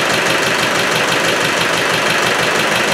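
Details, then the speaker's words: Rebored Land Rover Defender 110 diesel first start after engine installation: rough, uneven chuff about twice a second over busy clatter, breather pushing oil and smoke; heavy blow-by, broken ring suspected, unconfirmed. "it's got too much back pressure and i don't know why whether i broke a ring putting it in or not but observe the breather that's not right and it's pushing oil out"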